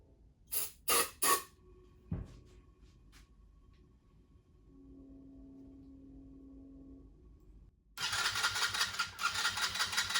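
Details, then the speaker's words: Long-stored 50cc Coolster Chinese ATV, rebuilt with new wiring harness and 6-coil stator, before the PZ19 carburetor is installed: a few clicks and cranking, a pause, then the little single catches and runs with a busy, even, healthy buzz; normal first start. "all right to this day that is still my favorite part of any project just getting to hear the motor run for the very first time is awesome"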